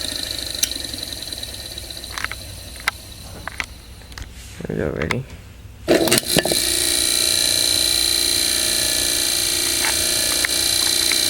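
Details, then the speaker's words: Antique General Electric AC motor from a window fan, dated December 1933, with new cord, sleeve bearings: clicks and handling, then spins up to a steady hum with an even high whine, no grinding or rubbing; running normally. "well this motor is very pretty heavy motor obviously obviously it take it does take this motor quite a while to warm up but once it does warm up it'll stay warm for hours"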